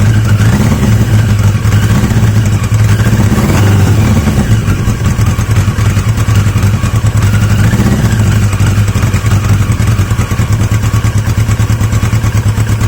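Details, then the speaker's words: Yamaha XJ750 four-cylinder motorcycle: uneven, stumbling running; owner is adamant the carb isn't working, fuel poured directly just leaks out, coils also in question; carbs from the XJ650 later swapped in. "it's the carb I'm adamant at this stage that the carb isn't playing"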